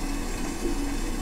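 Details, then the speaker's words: Toilet tank refilling: steady loud low-mid hum, a "blast-off" roar building as fill completes, present since installation and now worse; owners suspect the intake water fill valve, cause unknown. "okay folks we have an interesting situation here with our toilet where it's making a sound where it sounds like it's going to blast off into outer space"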